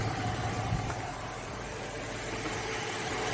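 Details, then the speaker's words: Suzuki Samurai idling with AC relay bypassed by a jumper wire: click, then a light steady whir as the compressor clutch engages and spins; clutch works, but air still blows hot because the system has no Freon. "now you see the clutch is actually spinning, and that's what it would do normally when you push that AC button on the inside, if the relay and all that good stuff is working."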